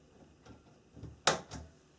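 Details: Newly wired bathroom GFCI outlet on its own 20 amp circuit, tester showing correct wiring, then trip-tested in a quiet room; one sharp snap then a lighter click as it trips: normal GFCI trip.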